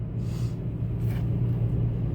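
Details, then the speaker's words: 2005 Toyota Tacoma, totally cold, customer complaint of very unstable engine shaking: low idle rumble that lurches and wavers unevenly; scanner graphs show cylinder 1 misfire, code P0301. "voy a arrancar este motor y vamos a poner atención Recuerden que estoy grabando también la pantalla de la tablet ahí motor está bastante inestable en este"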